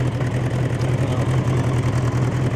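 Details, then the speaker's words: Bombardier Bombi fitted with a Holley Sniper 1100 EFI, new coil, cracked exhaust manifold now fixed: steady, even low-pitched idle with a smooth pulsing rumble and no ticking or exhaust puffing. Runs much quieter since the manifold repair. "now that you have that crack fix on the manifold this thing runs way way way quieter now so that's a good"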